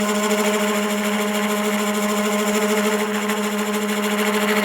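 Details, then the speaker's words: Woodturning lathe with a Sorby spiraling/texturing negative-rake scraper pressed with heavy side pressure against the lathe axis; the steady motor hum turns into a strained growl as the motor labours under heavy load. "now it's got a lot of side pressure against the axis of the lathe and you can hear the lathe growling at me not real happy about"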